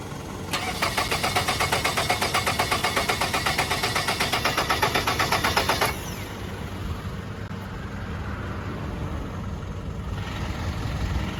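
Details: Nissan Altima, starter recently fixed: starter cranks evenly at about four turns a second for five seconds but the engine never catches, then just hiss. Crank, no start; owner suspects the fuel pump, maybe alternator or crankshaft, unconfirmed.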